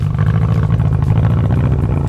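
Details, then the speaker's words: BMW F30 328i running super rich with no boost leak found on smoke test: deep, lumpy chugging with uneven low pulses, like a tractor; running rough, cause not yet known. "sounds like a tractor man what the [ __ ]"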